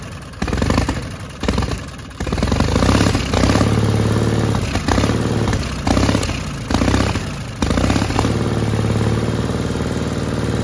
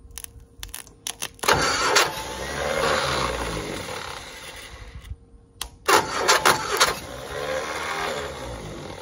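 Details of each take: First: 1960 Onan industrial engine for a homemade Model T replica truck, first start in many years: a few stuttering catches, then a steady even low chug with no knocks, running normally after the fuel pump butterfly valve position was changed. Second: 1960 Onan industrial engine for a homemade Model T replica, first start in many years; fuel pump vacuum shutoff lever propped open. Two bursts of cranking with uneven chuffing, no catch; afterward fuel is seen coming up, possibly starting to fill the float bowl.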